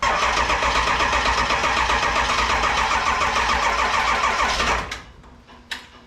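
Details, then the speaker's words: 7.3 Powerstroke diesel in a 1951 Ford shoebox, cold Minnesota weather, IDM just plugged back in; sluggish, even churning at about four turns a second with smoke, never catches, then stops. Cranks well, then slows too much to fire. "there's the smoke you got your smoke there's the smoke not cranking fast enough"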